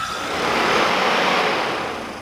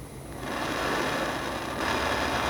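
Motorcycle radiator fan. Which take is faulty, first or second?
second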